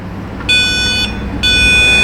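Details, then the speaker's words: Nissan Rogue passenger window goes up but won't come down from either switch; power probe on the white wire beeps a ground tone over a low idle, yet ground is actually missing: a false ground indication. "so it is beeping on the white wire, indicating that we have ground here, but I assure you that we don't."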